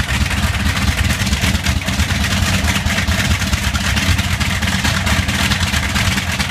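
A loud, rumbling radial run with an uneven beat and occasional stumbles, showing a slight misfire.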